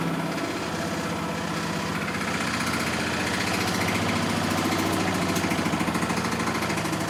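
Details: Miele Softtronic W6544 washing machine with a loose drum: steady running drone with a loose, uneven rattling knock about three per second; drum spider (Trommelkreuz) broken, though bearing damage had been suspected.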